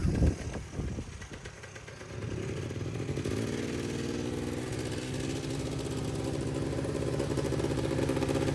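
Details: Polaris Trail Boss 350 two-stroke quad, abandoned 15 years, after carburetor clean, fresh fuel and jump start; clattering handling, then engine catches and settles into steady buzz that keeps running; runs fine now.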